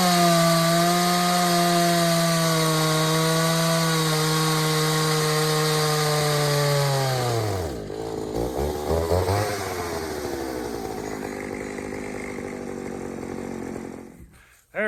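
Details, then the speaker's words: Pioneer 3270 chainsaw with a carburetor of uncertain origin, likely from a 60cc saw, and a safety chain: high thin screaming revs that sag and bog in the cut; running lean, fuel starvation. "so everything about that little test run tells me this all's gone lean i am not surprised"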